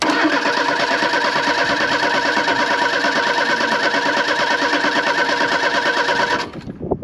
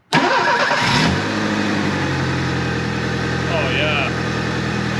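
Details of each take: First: 1983 Ford Thunderbird Turbo Coupe, 2.3 L turbo, unrun for 20 years, in neutral: quick, even cranking for about six seconds that never catches; no fuel pressure, fuel pump suspected as a culprit. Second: 1983 Ford Thunderbird Turbo Coupe, 2.3 L turbo, 5-speed, unrun for 20 years, after a fix attempt for intermittent running (a bad injector was suspected): catches quickly and settles into an even, steady idle, way smoother.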